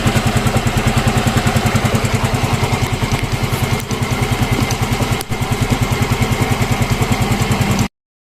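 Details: Yamaha Mio M3 scooter after replacing the camshaft bearing and checking valve clearance: steady even idle with regular firing pulses, no knocking or rattle; the earlier rough engine noise is gone.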